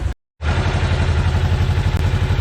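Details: Segway Villain UTV after primary clutch seal replacement, idling in 10–15°F cold, now warmed up with water pump weep hole no longer dripping: quick even low patter, no knocks or squeals, unit running fine and sounds good.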